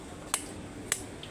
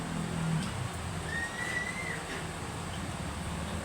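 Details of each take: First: Electric fan oscillating: sharp clicks about every half second over faint hum as the swing stalls and stops; oscillation gearbox clutch slipping. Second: Electric fan after repair: steady low hum, smooth oscillation with no stopping, clicking or noise; previously swing stalled and clicked.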